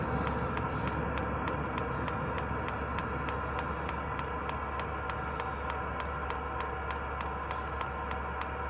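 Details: Diesel heater in a van, being refitted to draw from the van's own diesel tank instead of its supplied tank: dosing pump ticks about three a second over a low hum, no fuel reaching the heater; it switches itself off without an error code, owner suspects fuel starvation and plans priming.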